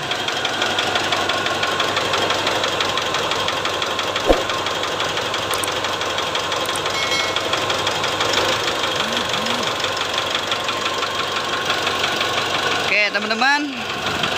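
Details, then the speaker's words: Mitsubishi Triton diesel, previously reconditioned engine, idling with dull uneven knock about twice a second; disconnecting injectors 2–4 didn't change it, so piston one suspected loose with excessive cylinder clearance (piston slap). Cause suspected, not confirmed. "Kemungkinan besar, piston nomor satu rusak atau mungkin longgar. Jarak bebas pada silinder nomor satu mungkin sudah terlalu lebar."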